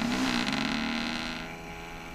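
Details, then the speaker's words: AVC hydraulic-bearing CPU cooling fan with play in its bearings winds down with a falling hum and faint dry rattle as it is unplugged; rattles intermittently, badly all morning; before three-in-one oil was added, which stopped the rattling. "this thing it sounds fine right now but sure can feel the play in the bearings and it only rattles at certain times but it rattled all morning this morning"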